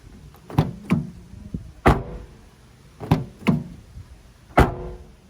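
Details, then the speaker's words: 2020 Toyota Tacoma door shut tests with all windows down, front and rear doors: deep single thuds dying out cleanly with no buzz or rattle afterward; solid, tight doors. "nothing there nice solid hit no rattling around"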